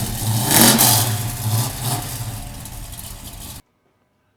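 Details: Restored 1968 Dodge Charger with a 440 big-block V8, large cam and a vacuum pump, about 5,000 miles: catches, flares on a sharp rev, then eases back to an even burble. Normal start and rev.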